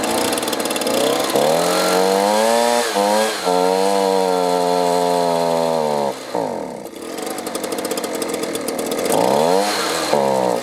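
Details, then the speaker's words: Leaf blower two-stroke engine, stored over winter with year-old fuel, runs with choke on but bogs and nearly stalls when switched to run; fuel starvation, possibly clogged carburetor, fuel line, fuel filter or water in fuel. "well you can see i can get it started it'll run with the choke on but then when i turn it to run it bogs down and will quit running what that tells me is it's not getting the fuel it needs"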